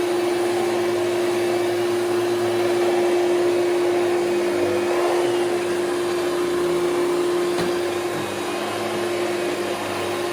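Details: Hoover Celebrity QS vacuum on high speed after top motor bushing was lightly lubricated: steady roar with constant thin whine, better than before but still poor on wind-down; dry upper bushing suspected, needs dismantling; motor whine.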